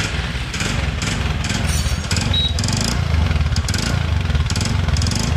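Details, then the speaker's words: TVS Ntorq 125 cc BS6 scooter started and idling: quick, uneven clattery khat-khat tapping over the putter, a knock in the engine; cause not yet found, engine being opened up. "देखिए यहाँ पे इंजन का साउंड आ रहा है।"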